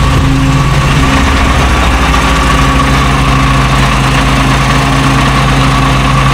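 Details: FV432 troop carrier diesel, long-sitting, being revived and running on real diesel: deep, steady idle with an even low throb and no misses or knocks; normal idle.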